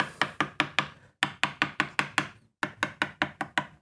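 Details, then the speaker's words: Mid-1970s Greco PB750N P Bass (Matsumoku-made), long unplayed: taps across each fret ring crisp and clean with steady pitch, no dull thunk or pitch drop, so no lifted frets; normal fret ring. "I'm not hearing any major drops in pitch that would indicate a lifted fret, which is good."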